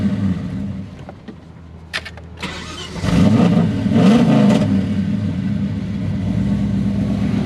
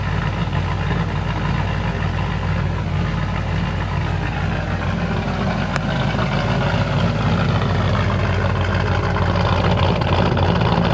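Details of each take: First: VN SS V8 that lost all power mid-roundabout while cruising: near silence with a few clicks, then the engine catches and settles into a rumbling idle. Owner suspects a power wire, since power returned when he touched it; not confirmed. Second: Holden VN SS after exhaust leaks and cracked welds repaired, no mufflers: loud, steady, even idle with deep open burble, no puffing or ticking; healthy engine.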